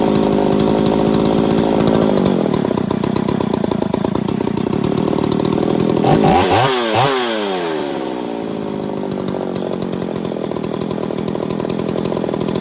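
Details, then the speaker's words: Poulan 3800 two-stroke chainsaw after fixing an air leak at the carburetor boot: screams near full throttle, then revs sag and recover unevenly; mild bog remains, owner may check carb pump and metering diaphragms. "all all right I think we fixed the air Lake it's got that little bul in it I'm have to work on that"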